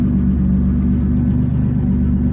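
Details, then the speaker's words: 1989 Chevy Camaro with bad ECM not priming the fuel pump relay, VATS bypassed with jumper wire, no check engine light: steady, even low rumble with no misses, knocks or surging; normal idle. "But you can see it's running. It's idling."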